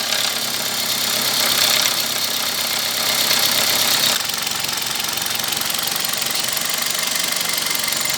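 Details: Toyota Corolla with fast light ticking clatter at idle from the top of the engine; oil level found below the dipstick, valvetrain starved of oil from low oil level.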